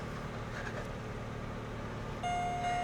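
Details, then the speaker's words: Lexus LS430, 120,000 miles, idling at 1,000 rpm: quiet, even low hum with no ticks or misses, then a steady dash chime with service airbag message; engine idling normally. "Engine sounds good."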